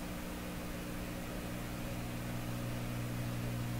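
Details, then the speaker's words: Canadian Admiral J104X/J105X console receiver at full power during assessment: steady low hum with a few fixed tones over hiss, both channels humming; indication of audio stage oscillation. "oh well that's an indication of an oscillation okay let's not worry about it right now"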